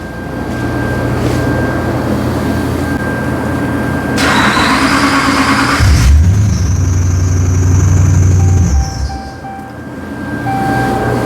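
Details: 2013 Ram 2500HD with a 5.7 Hemi, towed in with a crank no-start and P0685. With the TIPM's ASD relay bypassed, there is a short crank, then it catches and settles into a steady smooth idle. The fault is the relay's control side, later fixed by soldering a wire.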